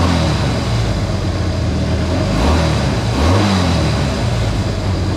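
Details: Honda CA160 Benly engine after carb float level set and clogged pilot and main jets cleared: runs steadily and picks up cleanly on a couple of blips, no stumbling or misfire; normal running.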